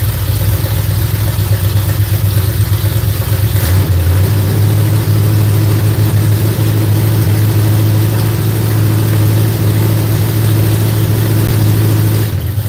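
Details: V8 just started after cranking to build oil pressure: deep, lumpy idle with a light, uneven tapping riding over it. Owner suspects a bound-up rocker arm; not confirmed.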